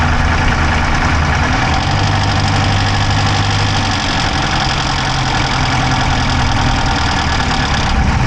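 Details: Dodge Charger Hemi V8 at idle, mic inside the driver's-side engine bay: a quick, light ticking over a steady rumble. There is no smoke from the pipes, so the owner doubts a dropped valve; cause unknown.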